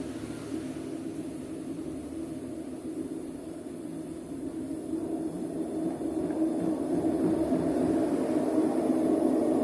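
Loud, rising roar and heavy rumble building as the drum spins up off balance; classic worn drum bearings.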